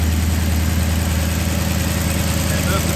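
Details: 2009 Maserati GranTurismo after serpentine and water pump belt replacement, front engine cover off: smooth steady idle, only even injector ticking, no belt squeal or chirp; belts lined up correctly, running great.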